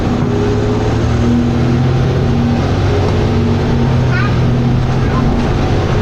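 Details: First Manchester Dennis Arrow bus 31918 (P418PVW): loud diesel drone with steady gear tones stepping in pitch as the automatic gearbox drops a ratio under load, a normal kick-down; the bus also makes grinding noises.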